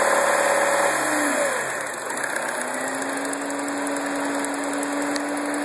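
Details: 2009 MINI Cooper (non-S) at idle with a short blip: a fast, fairly even metallic rattle at about 3–4 per second over the engine; source unknown.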